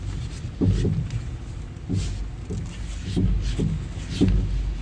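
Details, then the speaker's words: Dodge Grand Caravan front end: deep, hollow clunks and pops, about seven in five seconds, from popping springs and blown-out front strut towers; front strut assemblies to be replaced. "the springs popping and the strut towers are blown out"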